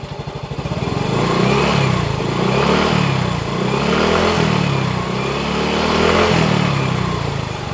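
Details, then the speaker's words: Yamaha X-Ride 125 with diasil cylinder, which had a noisy-engine complaint, after repair and still in the running-in period: revs up and settles in smooth swells with no clatter or knock; the noise is gone: normal running. "[Musik] sepertinya sudah bagus sudah aman"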